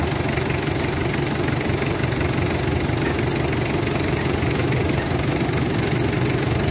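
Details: Mitsubishi Adventure diesel at idle with a steady but slightly uneven, shaky beat of about three per second under constant clatter. Rough idle, cause unclear, tied to throttle delay, vibration and low-power complaints said to be fixed after PMS.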